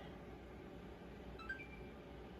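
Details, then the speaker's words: Xbox One S after hard drive and power supply replacement: short soft electronic chime over quiet room hiss on power-on; normal, healthy startup. "or we just click the button boom you hear that that's the sound of it being happy"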